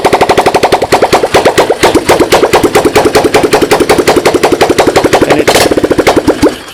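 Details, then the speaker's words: Honda 200S fitted with a swapped-in 185S engine, the original 200S engine suspected of a leaky intake valve, started with a drill starter; crisp, even single-cylinder popping about ten beats a second, a healthy running engine until shut off. "I swapped the engines on this thing took this guy out I put this guy in well you can hear start it right up"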